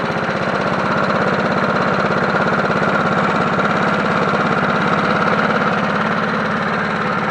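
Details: Free 1980s John Deere NO20K push mower as acquired, first run before maintenance, filmed from tripod: steady, even single-cylinder putter at constant speed, no misses or knocks; running healthy.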